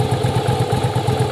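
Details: Yamaha Virago V-twin cafe build idling during strobe timing check: even loping idle about eight beats a second, no misses or rattles; firing and timing correct.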